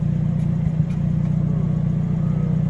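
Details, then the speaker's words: Hyundai Elantra N at idle, timing advancing at 1–2% throttle: steady low idle broken by soft pops around one second; softer pops match 5 degrees and louder ones 10 degrees of timing jump, exhaust tone abnormal. "The little pups, the softer ones are 5 degrees, and then the louder ones are 10 degrees."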